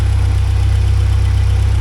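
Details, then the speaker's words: 1979 Porsche 924 after new hoses, slight timing adjustment and idle set to about 950 rpm: steady, even low idle with a smooth regular pulse, no misses or stumbles; hesitation gone. "And then I did adjust the timing a little bit, so no hesitation anymore. So I think that's pretty good. I had to move it just a bit that way, pushing on that way. And I set the idle down to like 950, so that's where it's supposed to be."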